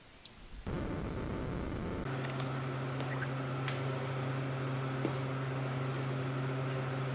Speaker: usually is a reasonably quiet machine but uh as part of a comprehensive check let's give it a go look that's all you hear with this machine a little bit of a th from the Cutters